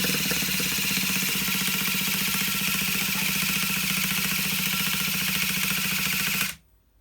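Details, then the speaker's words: Vintage Traxxas Rustler nitro RC engine with new parts and a plug in damaged threads: fast buzzing crank for about six seconds with no firing; cranks but won't start, large idle gap noted. "Sounds like we got nothing. I'm not understanding this."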